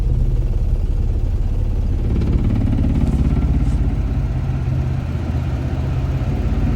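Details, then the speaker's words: Infiniti G35 coupe (VQ35DE) after aluminum valve cover swap: low, lumpy idle with uneven pulses and dipping beat as if about to stall, misfiring badly; owner suspects the throttle body spacer, cause unconfirmed. "so guys, it has been a week since the last clip, and we're here back in the garage with the damn car that is misfiring like hell."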